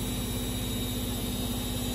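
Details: Siemens E14 washing machine after replacing its shock absorbers to fix banging: smooth, even hum with a soft steady low thrum and no banging or knocking; the drum runs quietly and normally.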